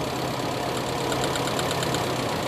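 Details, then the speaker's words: Toyota Kijang engine with independent ignition coils, cylinder drop test by pulling plug leads at idle: idle turns lumpy and pulsing when a working cylinder is cut; cylinder 3 showed no spark at all. "ini nomor dua besar sekali perbedaannya kemudian nomor t kita cek sekalian loh nomor ini malah gak ada pengapian sama sekali"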